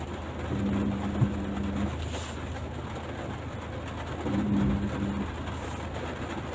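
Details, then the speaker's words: Ford truck crawling slowly downhill: low steady buzz in bursts of about a second as hill descent control pulses the brakes to hold the set speed; normal. "yeah that that buzzing sound is what ford called a hill descent control and what happens is that it will stop the vehicle from running away so you're not having to apply the brakes manually"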